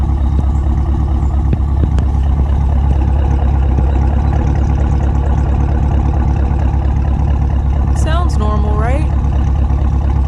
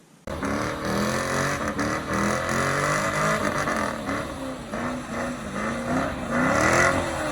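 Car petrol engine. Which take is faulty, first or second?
second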